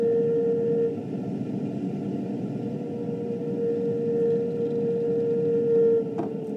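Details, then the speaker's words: 2006 GE side-by-side refrigerator, about 3 years old: thin, constant upper-midrange whine oscillating up and down over a low hum, from the evaporator fan. "doing yep it's just awesome lights up and down like this for no apparent reason whining constantly sounding like some sort of haunted house sound effects album"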